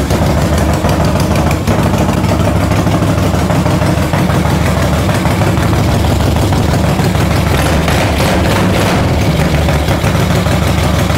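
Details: 1975 Moto Guzzi 850T abandoned over 10 years, first start after a carb clean, on fuel with two-stroke oil, started by jumper wire: even, lumpy V-twin chug at idle with steady firing and no knocks or misses. It runs normally.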